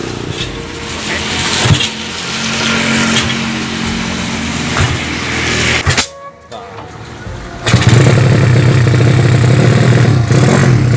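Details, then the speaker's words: Yamaha Vega ZR with swapped Mio cylinder, 200cc, 66mm piston, standard stroke, Tiger cam, during carburettor jetting adjustment: raspy, uneven running with blips and a near-stall dip before picking up; mixture still lean. "ya udah tinggal pekok pekok Hai masih tekor"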